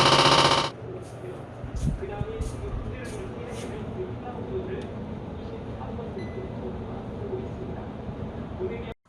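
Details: AC outdoor unit running with uneven clatter, about four ticks a second, abnormal noise and vibration; possibly from refrigerant overcharge in an older R22 system.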